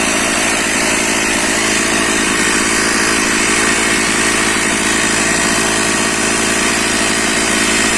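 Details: Stihl MS460/461 chainsaw after cold start on choke with decompression valve, refuelled: loud even two-stroke buzz holding a steady high pitch, no misses or surging; normal running.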